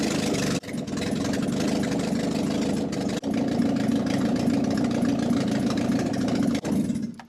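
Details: Ford Escort Mk1 with ST170 engine, firing after fitting a new gearbox and paddle clutch, oil pressure checked first: engine catches and settles to an even, steady idle with no knocks or misses; healthy.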